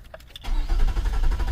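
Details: 2007 Nissan Quest with a new fuel pump that ran and then stopped: the starter spins the engine at a healthy even pace but it never catches; cranks without starting because the tank is empty.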